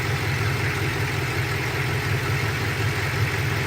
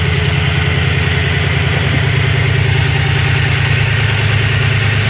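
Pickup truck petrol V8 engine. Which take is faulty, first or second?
second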